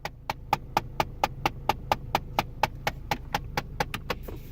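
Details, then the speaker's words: Car running with AC on: pressing the air recirculation button or switching the AC off brings crisp, even ticking, about four a second, from the dash for a couple of seconds, then it stops; cause unknown. "turn off as soon as I turn on the AC as soon as I turn it off there you go"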